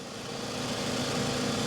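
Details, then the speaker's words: 2007 Toyota RAV4 with 180K miles and a salvage title, idling at an auction lot; smooth, steady idle with an even hum and no puffing or ticking; about as smooth as you can get, no exhaust leaks. "somebody else came by and started up without even raising the hood that thing's about as smooth as you can get [Music] yeah sounds good plenty of room back there no exhaust leaks nothing"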